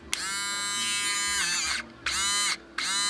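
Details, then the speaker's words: Harbor Freight 12VDC rotary tool powered from an ATX computer power supply 12V rail (8 A): three bursts of high, clean whine spinning up instantly, about as strong as on battery; normal running. "about the same as the battery certainly got some balls to it much better than a little wimpy adapter"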